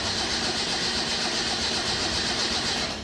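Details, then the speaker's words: Datsun Roadster with EFI on 93 octane, cold start at ambient in the 50s °F: fast uneven cranking with no clean catch. Tuner suspects not enough fuel to start when cold; hard cold start. "okay so that tells me that there's probably not enough fuel to get it started when it's cold"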